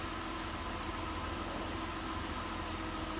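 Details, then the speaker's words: 2008 Mazda CX9 3.7L after water pump, timing chain components, belts, thermostat and valve cover gaskets were replaced: even, steady idle with no knocks, ticks or misses; no coolant leaks, any smoke only from cool weather; running smooth. "if there's any smoke there it's just from the cool weather so yeah it seems to be running smooth"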